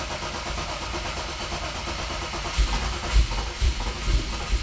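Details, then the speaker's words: Rover-derived 3.9L V8 in a V8-swapped Mazda MX-5 (Bullet Roadster), first start after oil pump work: rough running with busy, clattery top-end ticking; lifters extremely noisy, suspected lack of oil reaching them. "My lifters are sounding extremely noisy."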